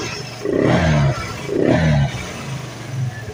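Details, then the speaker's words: Vespa LX 150 i.e. injected scooter, CVT previously very rough with heavy clatter; after disassembly and service, two quick revs rise and fall cleanly and idle settles with no rattle, CVT now running smooth. "mantap ya sudah tidak terdengar lagi ya keletek-keletek parah seperti awal sebelum kita bongkar ya teman-teman"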